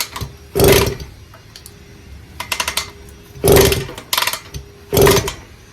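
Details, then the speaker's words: 1974 Indian JC54 with Minarelli P4 two-stroke, carburetor missing its idle screw, first start after carb cleaning: buzzy engine revs in three short bursts and drops away each time; runs but will not hold idle. "All right, so she'll run. Or she idle? Okay."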